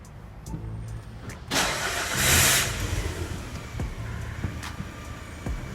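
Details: Citroën C4 2.0 hatch after replacing failed clutch release bearing, formerly noisy when pressing clutch pedal: cranks and catches cleanly, settles into even idle with no whir or rattle from clutch area.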